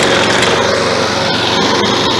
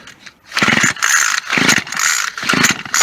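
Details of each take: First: Found, discarded Toro lawn mower, single-cylinder, had been tipped on its side and overfilled with oil (about a quart), good compression: catches and holds a fast, steady buzz without priming; normal running. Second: Scrapyard two-stroke gas weed wacker, good compression, fresh gas with too much 2-cycle oil, primed: on full choke it gives uneven, rough bursts about twice a second that stumble and die back; it needed half choke to run properly.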